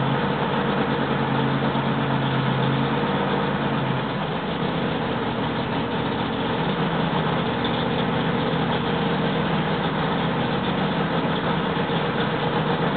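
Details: Freshly rebuilt L88 427 Chevy V8 from a '66 Chevy II, hydraulic roller cam, aluminum heads, low compression, first start-up: steady fast even break-in idle, timing roughed in near 35°, no knocks or misses.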